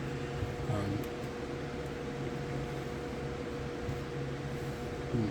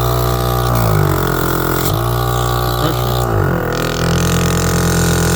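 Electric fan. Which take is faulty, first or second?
first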